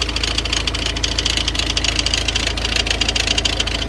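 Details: Engine idling with a fast, sharp knocking of three or four a second from a damaged crankshaft pulley damper whose two parts hit each other, invisible externally; the auxiliary belt tensioner moves excessively.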